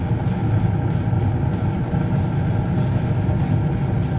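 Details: Bryant 926 series two-stage gas furnace with variable speed blower on low fire, manifold pressure set to 1.5 (range 1.3–1.7): steady, even low burner roar with faint regular ticks; burning smoothly and healthy.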